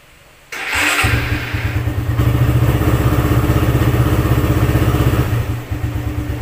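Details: Motorcycle with a lithium 18650 battery after one year of use, reading 14.1 V, cold start with cold exhaust: a short, brisk starter spin, fires at once and settles into a steady, even thumping idle; battery still fine.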